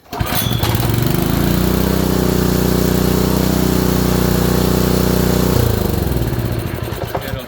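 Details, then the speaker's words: Small Honda engine on a water pump, just fitted with a new ignition coil: revs up and runs with a dull, rapid knock under the exhaust beat, suspected bottom-end wear; oil looked clear, possibly with a hint of gasoline. "it'll shut down, but that bottom end, that knock, doesn't sound good."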